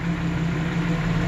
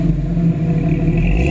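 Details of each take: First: 1992 Jeep Wrangler 4.0L after replacing a cracked exhaust manifold: even, steady idle with a firm low hum, no ticking or exhaust puffing; normal idle, though a slight engine issue is heard. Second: 1992 Jeep Wrangler 4.0L after replacing a cracked exhaust manifold: steady idle with repeated quick throttle blips rising and falling cleanly, faint clatter underneath; owner hears some engine issues, source unclear.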